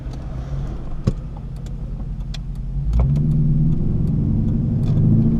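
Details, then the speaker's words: Clubsport test drive after a 4L60e automatic transmission rebuild, upshifting to top gear around town under light throttle; revs drop cleanly at each change with no flare or thump, and shifts are smooth. "So there we go, that's now in top gear. Those shifts were super smooth, and that's what you want when you're driving around town, something that's a real pleasure and easy to drive."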